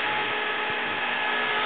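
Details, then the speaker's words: 6-inch 12 V fan, rated 1.8 A, on a bench power supply pushed to 15.6 V to reach 1.8 A: steady high-pitched whine with strained rushing air, fan moving itself; overdriven above rated voltage. "Now, it's really really cranking. It's actually moving itself. That's 15.6 volt."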